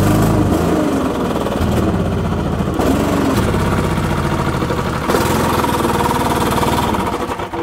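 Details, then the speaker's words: STIHL BR550/600/700 two-stroke leaf blower: engine stumbles and sags when throttled instead of climbing to full speed; lean carburetor, fixed by turning out the H and L screws slightly. "hey guys just a quick video here on how to fix a bogging steel br 600 700 and 550"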